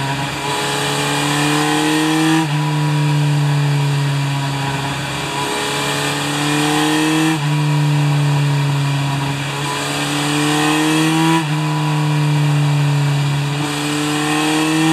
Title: Z1000J、エンジンオーバーホール後のならし中期